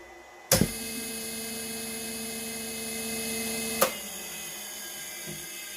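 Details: Three-phase motor run in a home experiment: a steady, even electric whine with clean constant tones for about three seconds, then a click as it shuts off; the motor runs smoothly.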